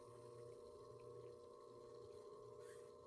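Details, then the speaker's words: Flowserve clear acrylic ANSI centrifugal pump with the discharge valve being closed: a steady pump hum with faint bubbly pops and a short watery whoosh as trapped air in the valve works through. "so I'm just going to start closing off this um discharge valve and that's just some air that's caught in there a little bit let that work through"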